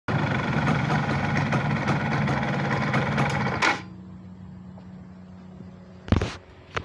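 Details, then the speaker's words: 2005 Yamaha F1ZR two-stroke motorcycle: a busy idle that ends in a short harsh grind from the left crankcase when the engine is switched off, traced to a dry starter gear. "Keluarnya pada motor ini ialah kalau mati mesin ada suara kasar pada bak sebelah kiri atau bak mandi ya jadi ketiga udah dalam perjalanan sampai kita matikan mesin jadi muncul suara kasar k"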